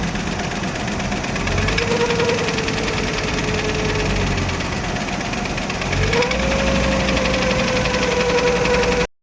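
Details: VW T4 California, AAF 2.5 petrol engine running: uneven knock underneath with thin whistle rising in pitch midway; source of noise unclear.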